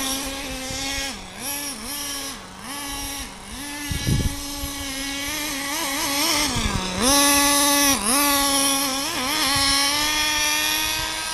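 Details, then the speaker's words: Nitro RC car on a cold morning, about 40–45°F, warming up: high buzzing engine blipped repeatedly, slightly lazy coming up and burbly on each dip, running a little rich due to the cold. "Running a little rich just because it's really cold. It's like 40 degrees out, 45 out."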